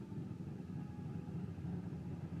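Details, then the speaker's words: 1992 Firebird 3.1 V6, stock cam, rebuilt with new lifters and gaskets, timing set to 12 degrees: low uneven lopey idle rising and falling like a big cam; fuel present at regulator, cause unknown. "Sounds like it's got a cam. I know it does not. Still a stock cam."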